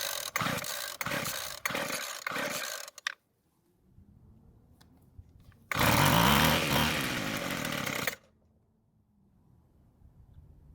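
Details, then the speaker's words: Free Weed Eater trimmer with rebuilt carburetor; several cord pulls, catches for about two seconds at a buzzing rev at half choke (not full choke) then dies; owner suspects too little fuel, carburetor adjustment next. "but what just happened well it didn't try and start in the full choke position but instead it happened when i went to half choke and then it died what that's telling me is i don't have enough fuel"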